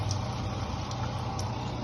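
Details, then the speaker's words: Mabe washing machine drain pump: steady low hum with no water moving; the pump runs but no longer drains, and it needs replacing. "día de hoy tenemos una lavadora marca maven Aqua la cual ya ese ruido que hace es porque ya no solamente se escucha el ruido pero ya no está ya no está aventando el"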